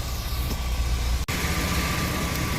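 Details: 2002 Chevy Astro van, 4.3 V6, just after fitting new fuel pump and fuel filter and priming three times: low, even idle rumble with no misses, knocks or hiss beyond one brief dip; normal idle.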